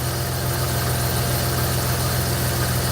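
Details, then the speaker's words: Jeep Grand Cherokee at idle, before replacing the worn belt tensioner: uneven rattle about three to four per second from the belt drive, with the tensioner flopping and wobbling slightly. "You notice very slightly right there, it'll give a little wobble."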